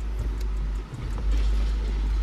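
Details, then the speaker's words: 2003 Cadillac CTS shifter after budget repair with zip ties and rubber hose for a clunking noise: smooth low engine rumble with no clunks or rattles as the lever moves; shifter now operates quietly, temporary fix. "no noise i don't know if y'all can hear that on the camera but it is smooth as butter there's no clanking no rattling"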